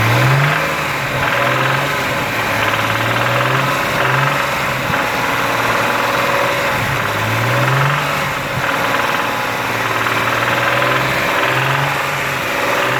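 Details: Engine held near 3000 rpm, the only speed it knocks: fast rough knocking over the drone, began as soft rrrr at highway cruise and worsened; sound traced inside engine; early rod knock.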